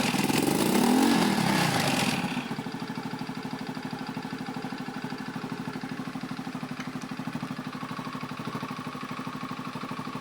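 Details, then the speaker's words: Honda Beat FI scooter that stuttered when throttled, after fitting a new fuel pump reading 40 psi, not reset: short rev then even, steady idle without stumbling; normal start and rev after repair. "ternyata sudah normal ya teman-teman saat mesin hiup pun tekanan pulp dia masih tetap di angka 40-an"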